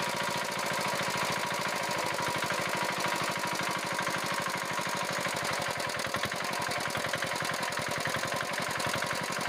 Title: ইঞ্জিনের সাউন্ড প্রবলেম.Engine sound problem